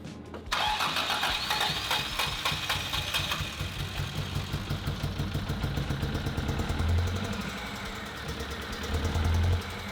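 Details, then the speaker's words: Rare classic car (CRX engine map mentioned) left with bonnet open, first start: runs lumpy and uneven with a loping stumbling beat, joked to sound two-cylinder; misfiring on several cylinders, now needs engine work. "I didn't know they made a twocylinder CRV. I don't think they do."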